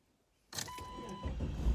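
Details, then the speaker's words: Jeep that had a dead battery, started after a trickle charge and a couple of days sitting: a short chime, then the starter turns briefly and the engine catches into a low, steady rumble; normal engine start. "It worked! It worked! You hear that? Oh! I'm the greatest automotive mind of all time."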